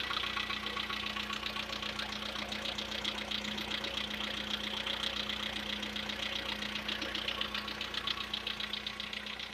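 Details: VW Polo Sedan with CFNA engine, before decarbonizing treatment: light, rapid metallic tapping steady over the idle hum, following revs; owner suspects carbon deposits, unconfirmed; engine knock at idle.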